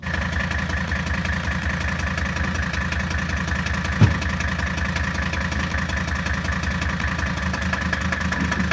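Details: 1978 Mercedes 300CD with swapped-in 1984 OM617 turbo inline-five diesel, upgraded turbo and injection pump, first run: steady idle, even regular clatter and constant beat; sounds healthy, fine-tuning still needed.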